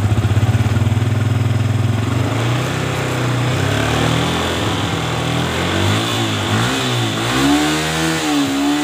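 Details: Yamaha Vixion motorcycle (stalling, MIL code 46, battery drained) started after charging-system check: battery 13.12 V at rest, charging reaches 14.12 V on partial throttle; idles evenly, revs up and down smoothly, no knocks or rattles, charging normal.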